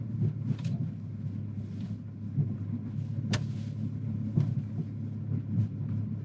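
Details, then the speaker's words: Audi Q7 3.0 TDI: low engine rumble with sharp driveline knocks as transfer case binds at full-lock turns off throttle, rear tyres skip on gas; burnt transfer case fluid with metal shavings. "But it's when I go full lock and I turn, if I let off the gas, it'll actually bind up and stop. And as soon as I give it gas, it'll start skipping on the tires."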